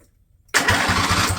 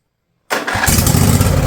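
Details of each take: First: Husqvarna lawn tractor with Briggs & Stratton Intek engine, over 900 hours, fuel line disconnected, cranked briefly before first start: steady even compression pulses, several a second; starter working fine. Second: Husqvarna riding mower, Briggs & Stratton Intek V-twin, over 900 hours, new battery: catches on cranking, surges, sags and nearly dies, then flares again; getting fuel but not running on it.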